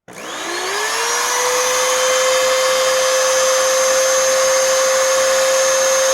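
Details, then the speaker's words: 20-year-old Oreck XL2800 vacuum motor after bearing repack and carbon brushes seated with a seating stone: it spins up quickly, with motor speed much higher than before, to a clean, steady high whine with no rattle or grind. Normal, smooth run. "oh that's it that's the noise of what I want nice that is nice and smooth and keep in mind most of this motor is still 20 years old"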